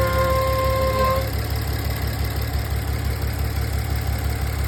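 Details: 2016 VW Touareg V6 idling with a low rumble and a clear high whine over it that fades after about a second.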